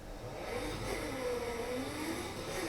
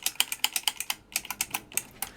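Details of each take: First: Midway Twin Pirate Gun electro-mechanical game, first power-up after fuse holder bypass: slow labored motor whir swelling unevenly with two sharp clacks; score motor struggling to reset, owner plans to clean and lube it. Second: 1974 Midway Twin Pirate Gun electro-mechanical game, main program stepper that wasn't advancing now indexing cleanly after adjusting its retention springs: crisp evenly spaced ratchet clicks, about seven a second with one short pause, no skipping.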